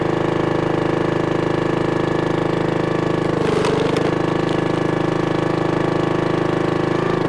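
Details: 1996 Brave log splitter, about 30 years old, revived after its engine had seemed to seize; splitting wood on a cold, windy day, the small engine drones evenly, dips as the wedge takes load, then recovers smoothly; healthy.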